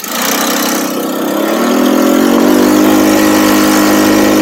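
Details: Budget buggy engine after carb tuning, main jet changed to a 120 (was 105) to run slightly rich; catches quickly, warm, smooth even buzz with steady pitch, no misses or surging; normal running.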